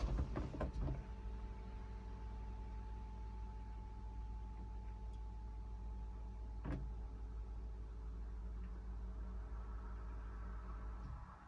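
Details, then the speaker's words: 2018 Mahindra Roxor turbo, engine off in neutral: low steady electric hum for several seconds as fuel pump primes, taking quite a while, then clutch in and it starts right up; normal. "Wow, yeah, it took quite a while to prime up. Okay, clutch in, and it starts right up."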